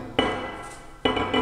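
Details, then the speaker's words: Tap test on a welded cast iron handwheel from a Kearney and Trecker Autometric jig bore after crack repair: two sharp taps with a clear, bright, lasting ring like solid metal, not the flat cracked-eggshell note of the other one. "it makes a sound and it sounds like a solid piece of metal okay that's what you want"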